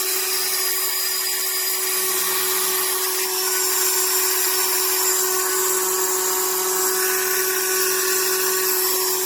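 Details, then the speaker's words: HARDELL 12V cordless mini rotary tool (6 speed settings, max 30,000 rpm), owned just over 30 days: high steady whine with a gritty, uneven rasp. The tool vibrates excessively, its motor grinds, and it intermittently quits working. "It's vibrating. You can hear the noise it's making."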